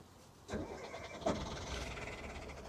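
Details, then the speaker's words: Boat diesel engine with glow plugs heated about 20 seconds, not run in a while, oil changed and poured on valves, battery fully charged: two rough bursts then ragged stumbling run until throttled up; hard cold start. "Ooh, we need to throttle her up a little. There she goes."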